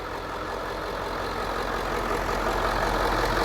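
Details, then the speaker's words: Bus with a newly installed remanufactured engine, air filter box off, no dash warning lights; even idle that swells slightly as the revs come up, with a steady rhythm and no knocks or rattles: healthy engine. "so right there as you can hear the engine is running there are no lights on on the dash no lights on on the dash that's good"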